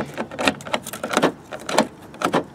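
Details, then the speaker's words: 2001 Chevrolet Tahoe door after lock cylinder replacement: sharp crisp clunks in quick bursts as lock cycles, which it didn't do before; normal door lock actuation after repair. "you can hear it locking and unlocking which didn't do before"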